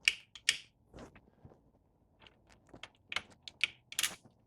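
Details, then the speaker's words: Honda CRF 100 dirt bike, engine not running, after tapping a binding shift component back into place; gears worked by hand through neutral and first to fourth, crisp clean clicks with no binding or grinding. "That's neutral. All right. We got first gear. We got second gear, third gear, fourth gear. Nice. There we go. And now we're in neutral."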